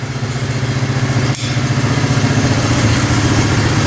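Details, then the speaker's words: 1971 Honda CL350 scrambler twin after 25 years unused, running on both cylinders: steady even idle at 1500 RPM with no misses, after pilot fuel screws opened from one to two turns out to cure a slightly lean condition. "Perfect. 1500 RPM. That sounds a lot better. That's how it should sound. So, it's just a little bit lean."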